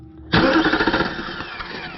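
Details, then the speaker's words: Nissan Armada/Titan starter tested by jumpering the starter signal terminal with key off: starter engages sharply and cranks the engine briskly and evenly without starting; starter confirmed good. "Okay, so I just verified the starter is 100% good, which was the first thing that I did."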